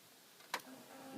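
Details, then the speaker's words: Jeep CJ7 258 with a Chevy TBI computer wired in: with the key on, a relay clicks and a faint steady hum follows, then stops; in-tank fuel pump priming and shutting off normally. "oh pump came on pump shut off that's good that's good"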